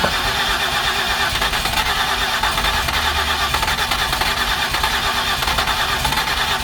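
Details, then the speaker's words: 2008 Ford Escape no-start with previous repairs, finally running: ragged, uneven, hissy unsteady note instead of smooth idle; cooling system heavily pressurizing, consistent with blown head gasket. "so I hope everyone can hear we are running but it does not sound good"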